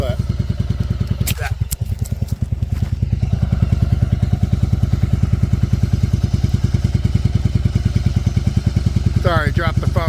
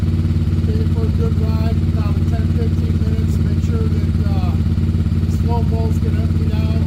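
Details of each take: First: 1994 Yamaha Virago 750 V-twin chopper after fixing the vacuum leak that made it climb to 3000 rpm: even, steady idle near 1000 rpm with a regular loping beat and no hunting or surging. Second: 1994 Yamaha Virago 750 chopper V-twin after running a couple of minutes: drones at a steady, raised idle around 3000 rpm that never drops back. Carbs were suspected.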